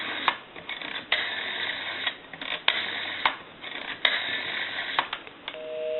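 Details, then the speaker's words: AE Monophone rotary desk telephone after repair, dialing the repairer's own number as a final check; crisp dial clicks over a thin line, then a steady two-tone busy signal; the phone dials and connects properly. "okay so now what we can do is we can call one other number we'll call my number and it'll be busy i'll give you some dow tone"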